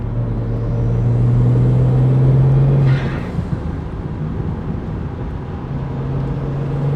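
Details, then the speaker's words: 2009 BMW E90 335i N54 twin-turbo with VRSF dual cone intake, VRSF charge pipe and Tial Q blow-off valve replacing the diverter valves: steady engine drone, then a short airy whoosh on throttle close; normal blow-off valve venting. "But now that we've got the car all put together, let's go get some outside clips to see blow off valve and charge pipe sounds from the outside, along with driving in the car."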